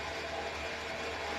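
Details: Renault Sandero 1.6 8-valve, owned one month, under warranty: fast dense sewing-machine clatter over idle, loudest up top; owner suspects cylinder head or rocker arms, cause not pinned down.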